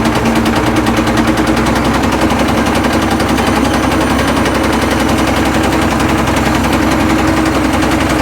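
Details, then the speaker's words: Caterpillar 977L track loader diesel on a cold day, firing only with ether, with good oil pressure. Loud, ragged clatter with heavy uneven knocking, as if about to come apart. Serious internal knock, cause unconfirmed. "you guys can probably tell It just knocked absolutely horribly"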